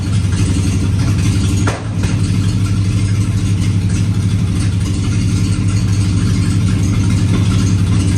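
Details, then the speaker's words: Ford OBS F-150 302 V8, first crank after replacing all eight fuel injectors (three on one bank were bad), starter dragging. Uneven low rumble with a sharp pop; ran smoothly, then started trying to backfire. Backfiring and rough running. "it seems like it was running smoothly but now it's like trying to backfire or something i don't know"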